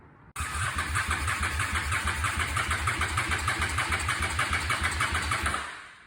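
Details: 2004 Honda Shadow VLX 650 after a no-start from a bad starter solenoid: starter catches at once and the engine settles into a steady, loping twin idle of about three beats a second; normal start and idle.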